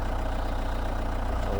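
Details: Ford Mondeo 3 diesel at idle: a fast, even low rattling knock that changes when the clutch pedal is pressed or released; worn dual-mass flywheel needing replacement.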